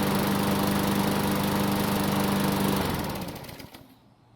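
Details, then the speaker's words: Murray lawn mower, given away because the owner was tired of dealing with the carb; after service and new air filter, engine hot after several minutes of running, steady even putter with no misses or knocks, then clean wind-down at shutoff: normal running. "So, it's been running for several minutes, and the engine should be good and hot."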